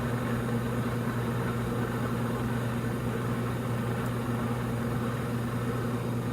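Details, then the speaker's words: K&S 973 substrate cleaning station in first drying cycle, spindle slowed to set speed, infrared lamp on; steady low hum near 100 Hz with no knocks or surging: normal drying cycle. "now it's in the first drying cycle see the counter is counting down showing your spindle speed if think slows it down for the setting that I've set turns the infrared lamp on"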